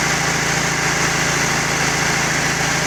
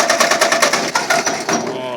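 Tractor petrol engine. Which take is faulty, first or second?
second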